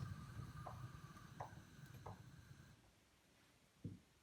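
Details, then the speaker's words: Newly installed gas hob converted from natural gas to bottle gas: as four burners are turned off, four soft clunks about a second apart as each thermocouple fail-safe (flame failure) valve snaps shut normally. "Four clicks. Do you hear them there? Dunk, dunk, dunk, dunk, they came. Those are the fail-safes."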